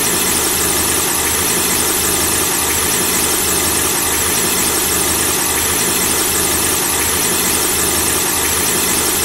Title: The squeaking sound of a car engine when the engine is turned on